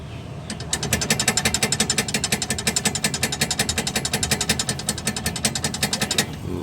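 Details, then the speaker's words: Car front suspension stabilizer (sway bar) link rocked by hand: rapid, sharp clicking from play. A good link should not move, so this link is worn. "Ya ini kalau yang masih bagus harusnya tidak boleh goyang"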